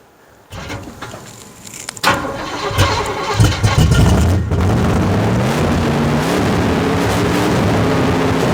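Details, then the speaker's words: 1972 Chevelle rescued from a field, first crank after sitting: several cranks and coughs, then it catches and runs high and steady, never settling to idle. The throttle is stuck open. "all right well the throttle stuck as you can probably tell anyway it runs as you guys could probably tell at home the throttle stuck which is not good"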